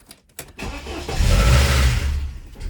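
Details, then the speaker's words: 1993 Saab 900 restarted after sitting parked, fuel pump running, given throttle: cranks then catches unevenly, ragged stumbling surge with light top-end clatter, top end long without oil; rough start. "oh that did not sound good i think it's a little clickety clackety"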